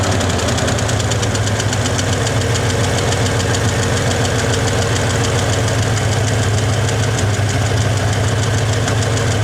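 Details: 1961 Chevy Apache V8 with a steady but slightly uneven, lumpy idle, timing set to about 12°, not yet at temperature; owner suspects it's running out of gas, with little fuel in the fuel filter. Cause unconfirmed.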